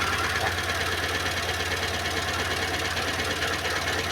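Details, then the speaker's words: Renault Clio engine idling rough with an uneven, stumbling beat and occasional knocks: a misfire from a bent valve that isn't sealing properly, so the cylinder head must come off and go to the machine shop. "válvula que não tá vedando aí direito então fica aí esse problema no carro"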